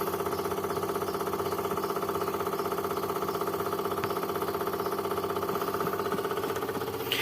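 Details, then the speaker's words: Daihatsu Zebra Espass fuel pump at key-on, engine off, fuel pump relay not in use: steady electric whir with an even pulse around two per second; fuel pump priming normally. "ini dia retak sudah bunyi ya kalau temen-temen denger Coba dengerin ya tuh gerak itu"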